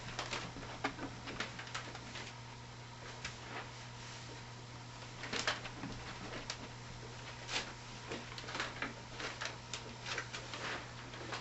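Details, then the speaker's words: Soft polishing lap on a fast f/3.9 200mm telescope mirror during astigmatism correction. Even rubbing strokes about twice a second over a steady low hum, with an occasional normal squeak; the lap polishes smoothly. "Every now and again I hear a little squeak. People freak out when they hear that squeak. Don't worry. It's normal."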